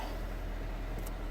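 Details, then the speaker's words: 2003 Nissan Almera N16 1.5 petrol manual, idling with steering at full lock after the alternator and power-steering belts were replaced and tensioned: a low, even engine hum with no screech or chirp; belts now quiet. "you can see it's not there's no screeching or nothing now that's perfect nice and quiet"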